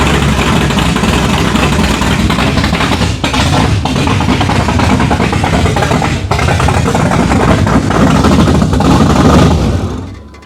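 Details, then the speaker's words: Loud, lumpy, stumbling idle from the open-header 383 stroker in a 1987 Chevrolet Monte Carlo SS just after its first start. Rough running; owner suspects the choke needs opening and the idle is not yet set, with the throttle being held back. "I'm a little breathless right now. Honestly, You didn't think it was going to be that nasty? No, I mean I heard it running on the dyno and everything."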